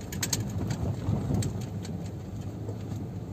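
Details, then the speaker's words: 2010 Toyota Yaris driven around 60 on rough, bumpy paving: faint irregular creaks and squeaks from the dry door rubber seals over low road rumble. "itu bunyinya bunyi kreket kreket nya itu temen temen bisa denger"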